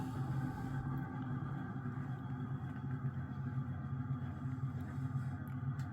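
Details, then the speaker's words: 1980 Emerson Casablanca 52" friction-drive ceiling fan turned up to a higher speed: loud steady motor hum with a slow uneven wobble pulsing about twice a second; owner guesses warped blades cause the wobble, not confirmed. "so as you can hear pretty loud got to turn it up a little bit"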